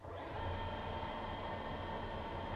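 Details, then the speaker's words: Waterproofed Axial SCX10 2012 Jeep Wrangler Rubicon RC truck with its sensored brushless motor fully submerged in a bath: steady, even electric whir, no stutter. It runs normally but struggles for grip and is nearly floating; water was earlier found entering the motor. "there's the truck still working it's just really struggling because it's uh it's not getting much grip"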